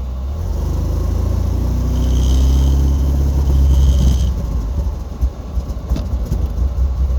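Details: Porsche 944: starter turns engine over at a brisk even beat for several seconds with low steady rumble, but it never fires; crank no start.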